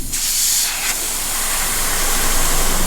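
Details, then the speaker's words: Dodge Viper ACR swapped to a turbo Hurricane inline-6 with 8-speed, intake pressure-tested: steady hard hiss of escaping air. The system holds pressure; the leak is only at the blow-off valve. "so she's holding pressure. It's just the blow-off valve."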